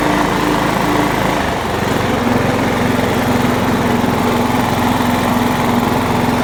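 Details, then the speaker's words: John Deere LX172 lawn tractor single-cylinder engine picks up and settles into a steady, even run without stumbling, with the carburetor fuel solenoid hot-wired straight to the battery to bypass the wiring harness; it started right up and runs fine. "Well, I hot wired the solenoid. It started right up. That's pretty good, huh?"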